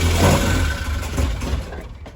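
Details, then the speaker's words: 1966 Triumph Spitfire Mk II that won't idle, with timing, carburettor, throttle linkage and battery problems: catches on choke, runs roughly about two seconds, then dies; giving it gas seems to kill it, fuel or mixture suspected. "gas seems to be killing it"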